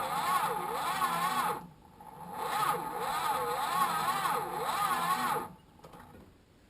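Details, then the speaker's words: Chrysler Valiant VJ, sat 25 years, three-on-the-tree manual, first crank with ignition bridged (won't crank off the key): starter turns the engine slowly and laboriously in stretches with pauses; weak slow crank, cause not yet confirmed. "winding but it's not happy so um that's a start i might try and start the truck and we'll try and get some more juice into this"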